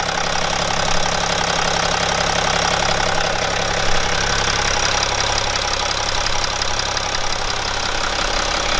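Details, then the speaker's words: BMW E61 530d with M57N diesel (235 hp) at 232,000 km, cold start after a broken timing chain was repaired: a fast start and a steady, even idle with the usual light clatter and no rattles or chain slap. "pretty much I believe this pretty fast start seems pretty smooth for a cold s"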